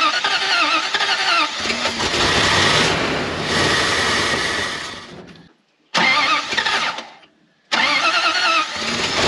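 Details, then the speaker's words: Dodge W300 dump truck (carbureted, sat a year) cranks repeatedly with brief catches that never settle into a run, even after a splash of gas in the carburetor and fresh gas in the tank; fuel seems not to reach the carburetor. "seems like the fuel is not getting to the carburetor"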